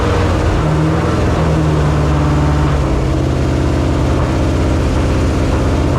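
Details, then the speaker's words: 1968 AMC Rambler American 401 V8, first start after a rebuild and ten years sitting: deep steady rumble with a slightly lumpy beat and throttle blips, no knocking. Running fine but needs tuning; it got hot and was shut down. "It's not doing too bad. We got a lot of tuning to do, but that's a good start. Man, it's good to hear that thing run."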